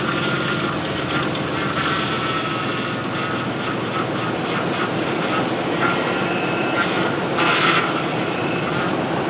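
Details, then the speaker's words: 2005 Ford F-150 after power steering return hose replacement, bleeding by turning full lock to lock at idle: strained whine swelling and easing; pump starved of fluid, took a lot more fluid, no leaks. "uh and as you can hear it wasn't happy so add a little bit more fluid actually took a lot of fluid"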